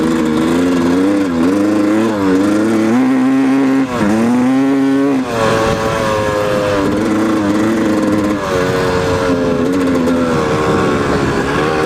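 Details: 1997 Yamaha YZ250 two-stroke with FMF Fatty pipe, under load in first and second gear: revs rise and fall with a wavering buzzy tone; a weird noise, cause not pinned down.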